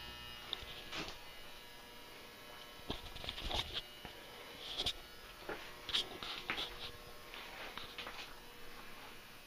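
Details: Old Hubbell 400-watt metal halide lamp from a school gym, warming up after start-up: a faint steady electrical buzz from the ballast transformer under occasional clicks and room noise. Normal ballast hum.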